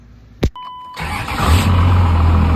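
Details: 2001 Ram 3500 diesel that had a no-crank condition: short beep, quick crank, catches at once and settles into steady even idle; starter and start are good.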